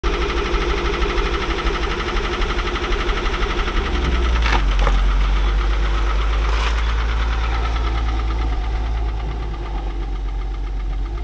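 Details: Mercedes W126 petrol engine idling with an unexplained knock: steady light knock about three times a second; owner notes misfiring and suspects something came loose, planning adjustment; finding is worn camshaft bearings.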